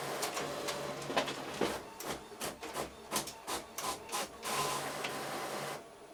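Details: An Epson EcoTank ET-16600 A3 automatic document feeder, after a repair that fixed grinding and jamming caused by one small gear, pulls two sheets through with soft rubbing feeds and light clicks. There is no grinding or skipping; it is working normally.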